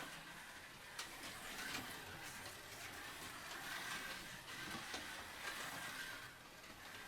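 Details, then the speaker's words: Blue Policar slot car lapping: a light, even buzz from the motor and gears with no catching or rattle; smooth, healthy running. "now let's just have a little listen to the blue car again fairly smooth sounding"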